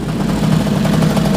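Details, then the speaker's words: 2002 Bombardier DS90 two-stroke after new aftermarket top end (compression had been 65 psi), air screw set about 2 turns out after running rich, warm after electric choke turned off: even steady burble, no misses or knock; healthy idle. "So yeah, she's running nice and smooth."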